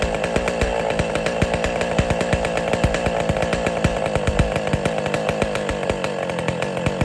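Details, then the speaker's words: West Bend / Power Bee 820 two-stroke engine, first-ever start, not cold out, choke opened, throttle opened more, windy outdoors: rapid crisp popping at steady high speed, firing evenly without misses; normal running. "But all right, that was the first time the engine has ever been started."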